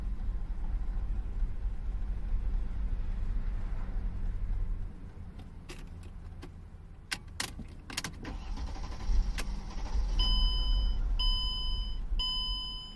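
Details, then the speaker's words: 2003 Mercedes-Benz E-Class 3.2L with 177,000 miles and a crank-no-start complaint: lumpy, uneven low rumble that stumbles irregularly under a door chime; runs very rough, and current capture shows dropouts from a badly worn fuel pump. "Look at that, we're kind of running. It's running really, really rough right now."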